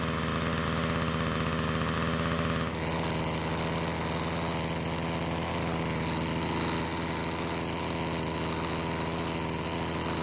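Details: Ryobi two-stroke string trimmer that wouldn't start, after carb work, at high revs before H-screw adjustment: thin, strained buzz with uneven beat; lean running at full throttle, fixed by turning H screw counterclockwise for more fuel.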